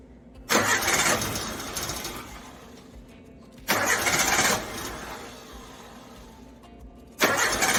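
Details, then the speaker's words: Suzuki Samurai carbureted engine after breakdown, power valve replaced and carb cleaner sprayed into primary chamber; three separate one-second cranking bursts with no firing, crank no start, cause still unknown. "well it is still not running so I don't know what the hell the issue is but I'll keep digging"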